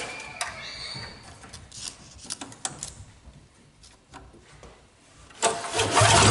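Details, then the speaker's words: Free two-stroke MTD snowblower that didn't run, after grounding the key-switch wire to the frame: a few cranking tries and short catches, then the engine fires and runs up strong. Starts normally and can now be stopped. "so we got this snow blower running and able to stop running"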